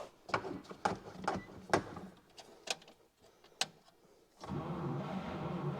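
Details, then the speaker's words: 1949 Chevy Fleetline Deluxe, original 6V system, off the road since 1970, start attempt after sitting; good spark now, key corrected. Slow, uneven cranking with a few sharp catches like it's trying to fire, then a rough rumble; cranks but will not start. "Oh yeah, it's trying. It is trying. No question about that."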